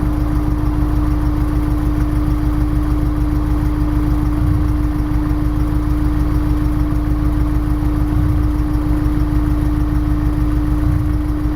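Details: Honda S2000 petrol engine misfiring at idle: deep, lumpy beat with occasional stumbles.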